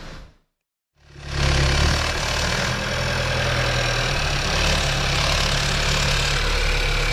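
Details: 2018 Skoda Octavia 1.5 TSI (about 110 kW) idling: light, fairly even rattle about four per second on top, location unclear at first (possibly near timing).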